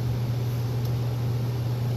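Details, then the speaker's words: Gas furnace about 15 years old that kept shutting off, restarted after cleaning the carbon-fouled flame sensor; steady low smooth draft inducer hum with no rattle or flutter before ignition, a normal startup. "that should ignite here here goes the blowers starting let's see it should light"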